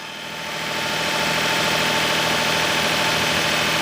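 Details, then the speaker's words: Daihatsu S210P mini truck engine after new OEM camshaft and phaser, sat two years, no water pump fitted: catches and settles into a smooth idle with a steady tick, no top or bottom end knock; runs well. "Top end sounds amazing. Bottom end, the truck sounds great all the way around."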